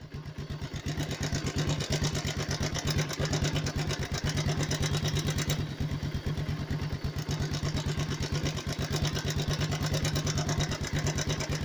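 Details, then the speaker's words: Motorcycle (Pulsar-type) single-cylinder idling: fast, dry metallic clatter of a loose timing chain over the steady exhaust thump; the chain pads can be adjusted rather than replacing the chain. "यही है timing chain के साथ।"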